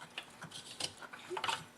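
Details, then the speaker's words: Briggs & Stratton snowblower engine that won't start, turned slowly by hand with the sump cover off: a few sharp, uneven clicks as stripped plastic camshaft gear teeth pass. Stripped camshaft gear teeth. "some of the teeth on the cam shaft gear are totally stripped off that's why you hear that click when I turn the engine"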